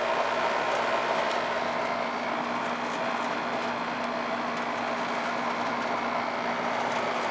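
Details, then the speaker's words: AC condenser fan after replacing failed fan motor, run capacitor and contactor on no-cooling call, 100° day: steady even whir, constant hum, no rattles, scraping or surging; new motor draws about 1.6 A, rated 2.8; normal operation. "all right guys she's up running this motor uh I did earlier 2.4 2.6 is rated 2.8 and uh she's running around that 1.6"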